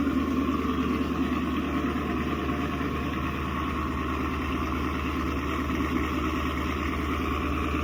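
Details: 2016 Chevy Camaro SS 6.2L V8, almost 50k miles, remote started after factory GM thermostat replacement: deep even idle with steady burble, no knocks, ticks or misses; healthy, fan shuts off confirming thermostat works.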